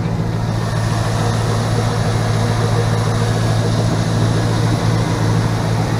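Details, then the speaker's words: 1977 GMC Sierra K25 with a swapped 2002 5.3L V8, SM465 4-speed and NP208, driven about 3 months since. Steady, even low idle with a smooth, regular beat and no knocks or misses: normal, healthy running. "Runs really well. No issues with it at all. I've been driving it now for probably about 3 months at least. It runs really good."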